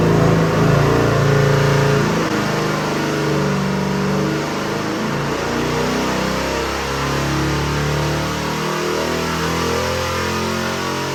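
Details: Rebuilt Chevy 454 big-block, 500 hp, Sniper 2 fuel injection, for a '65 Corvette, on the dyno: deep, even V8 burble with steady firing rhythm and smooth revs, no knocks or misses; runs great.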